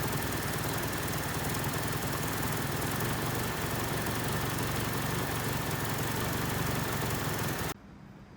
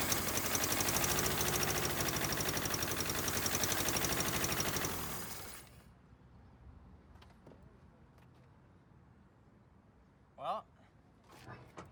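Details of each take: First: 1979 Honda Civic 1200 that sat about 16–20 years, after roughly five minutes running, before timing is checked: smooth, regular idle with a steady beat and no misses until shut off; ignition sounds healthy, running pretty good as set. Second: 1979 Honda Civic 1200 on its first start after sitting about 16 years. Rough, uneven chugging for a few seconds, then it dies. Ignition timing is way off, spark was lost at the end, and there is blow-by.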